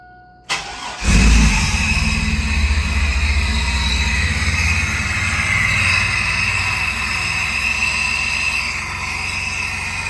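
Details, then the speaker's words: Truck after belt-squeal fixes (cleaned alternator pulley, replaced power steering pump with shaft play, new steering shaft and cooler): engine cranks, catches and settles into a steady even idle with no belt squeal or chirp; normal startup. "It sounds really good."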